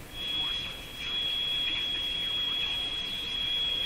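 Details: Sparton Model 5049 radio at 111 volts, after replacing the remaining wax capacitors to cure spurious oscillation, not yet aligned: steady piercing high whistle at one pitch over faint hiss; oscillation persists, cause not found.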